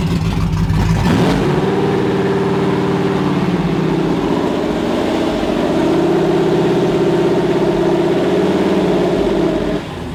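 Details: First start of Coyote V8 swapped into an older Mustang: barks to life through open pipes, revs hang high and surge unevenly; runs rough as the tune is far off, pedal possibly stuck under the mat.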